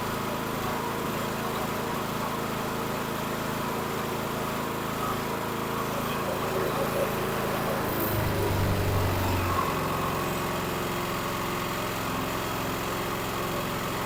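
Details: Karcher KXS 302cc small engine off a log splitter, bolted down, running on premium fuel after a no-start fix: steady, even run with a firm regular beat and no misses or surging; running healthy.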